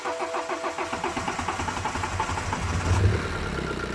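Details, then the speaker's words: 2011 BMW 118d E82 diesel that cuts out under load; steady cranking drags about three seconds, as if building pressure, before catching and settling; slow start, injectors suspected. "even now when he starts it's not that quick firing up is is like if he's cranking to build the pressure look listen to this see"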